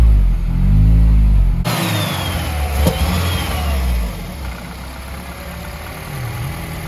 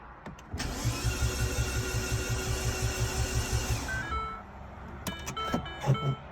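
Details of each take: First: R56 Mini with big turbo fitted, after subframe work: engine fires, climbs on a brief rev, then settles into a steady, even idle without misfire or knocking; normal idle, healthy. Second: R56 Mini with big turbo fitted, first start attempt after subframe work, exhaust not connected: steady starter churn, about three even pulses per second for three seconds, stops without firing; fuel smell, no leaks; crank no start.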